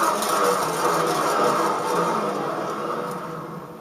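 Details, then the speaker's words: R2-D2 dome Rockler bearing with acetal resin balls and an extra spacer added to stop rubbing, dome plate attached and amplifying the sound: an even, soft whirring that fades as it slows, with no grinding or knocking. It turns freer. "well it does seem to move up a lot freer"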